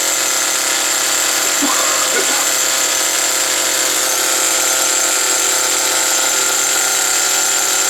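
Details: Original first-generation HPI Nitro Rush nitro RC car started after many years sitting, run about five minutes to burn off old fuel left in the tank: high, steady buzzing with no stumbles or surging; running cleanly and evenly. Exhaust leaks noted.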